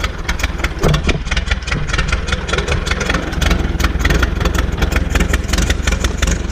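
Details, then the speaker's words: Old Massey Harris petrol tractor, sat 4–5 years, after distributor work: a loud, low putter with regular firing that holds after catching. Engine running on its own. "so i don't know what i need to give a spark but i don't care and there it goes see if it'll move"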